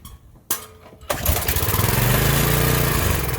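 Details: Found free small-engine pressure washer, laid down, primed with a little fuel and choke on: two pulls, then it catches and settles into a steady, quick, even putter; engine starts and runs.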